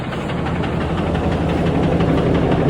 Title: Ram 2500 2024 cummins cab off, remove cylinder head knocking noise, intake heater grid nut problem